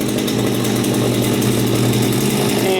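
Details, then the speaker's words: Stihl FS80 two-stroke weed trimmer, run outside after sitting about a year and being gutted and reassembled: even, buzzy idle holding steady with no stumbling or surging, still running; normal healthy idle. "okay wow sounds like it's still running crazy crazy crazy"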